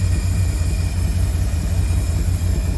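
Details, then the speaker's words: 1952 Cadillac Series 62 V8 at warm idle after a carburetor rebuild: deep, even burble holding one low note with no misses, knocks or hunting; idle improves as it warms, and an earlier alternator whirring went away after oiling. "The warmer it gets, it seems to be idling even better."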